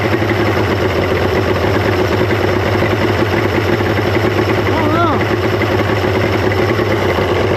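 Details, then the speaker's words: 1995 Mercury 200hp XR6 Blackmax two-stroke outboard after timing adjustment, charging well; steady, even idle with a constant drone and no surging, dropouts or misses, sounding settled and healthy. "I mean that sounds pretty mean to me"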